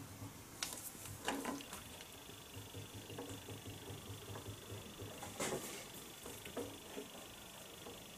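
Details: Holbrook C8 lathe with chatter: steady hum and high whine with occasional sharp knocks, heard with the reversing gearbox engaged; worn headstock bearings suspected, bearing to be replaced.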